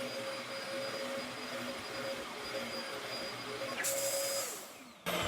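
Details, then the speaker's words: Dyson DC14/DC33 upright vacuum after replacing clutch belt assembly (part 900252-04): even motor whine and airflow hiss, no belt slapping or squealing, then spin-down; belts working properly, fixed. "And that right there fixed it. The belts are working properly. They're not loose. It's not making any noise."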